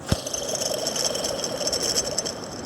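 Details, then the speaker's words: Jeep Cherokee (Liberty) idler pulley removed and spun by hand: loose, gritty rattle and grind of a worn bearing, cause of a whine on acceleration first blamed on the alternator pulley. "it's fairly clear hopefully the camera is picking that up that bearing sounds really quite unhappy"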